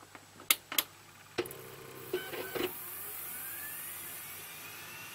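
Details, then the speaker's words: Quiet desktop PC (i5, Arctic Cooling Freezer i30, Cooler Master foam-lined case) booting Windows with fans at the lowest PWM setting: sharp ticks and clatters, then a thin spin-up whine; the HDD is the noisiest part, normal seeking. "so so so yeah as you can hear the most noisy guys the hdd this window is starting it's using a lot of read and write cycles"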